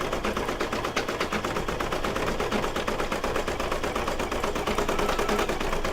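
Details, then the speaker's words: Brother DZ820E embroidery machine stitching an appliqué mug rug through thick layers after rethreading: fast even needle clatter about three stitches a second, slightly clunky under heavy load; running fine. "now that sounds a bit clunky because it's going through a lot, right?"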